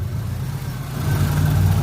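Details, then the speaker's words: Subaru after a new thermostat install, cold with the thermostat not yet open and the cooling system still bleeding: low, uneven idle that swells and hunts. The surge persists, cause unknown; misfire suspected, with plugs and wires to be replaced next. "It is all kinds of pissed off. Surging like hell and still bleeding."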